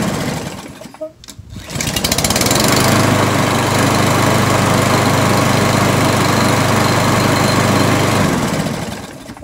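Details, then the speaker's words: Briggs & Stratton 675EXI on a Poulan Pro PR675Y22RHP mower, after filing the choke lever so it no longer sticks open: brief crank, then a steady, even run with no misses or surging. Choke closes cold, opens once running; working normally. "now this lawnmower is working as it should that choke lever is in the closed position when it's cold and then once it fires up it opens up to allow the machine to run"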